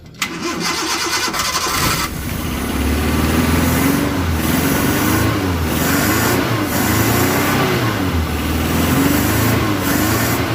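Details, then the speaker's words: Suzuki Carry 1.0 carbureted, hard to start after washing due to a flooded carburetor, started with the accelerator held fully down: brief crank, then it catches and runs unevenly, revs surging and dipping as it clears. "Nah ya gitu ya lur, diinjak penuh sampai di starter terus sampai hidup. Karena apa? Ketika kelebihan bahan bakar otomatis akan susah hidup juga lur."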